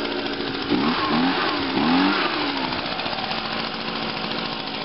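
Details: Echo PB-251 two-stroke leaf blower after fuel line replacement, primed and choked; starts on the first pull, buzzy high-pitched note rises with a couple of blips then settles to a steady run. Normal running.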